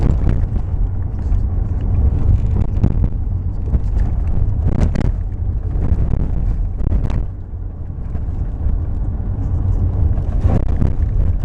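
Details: Toyota RAV4: over a heavy low road rumble, a few dull, irregular clunks every few seconds; knocking steering rack.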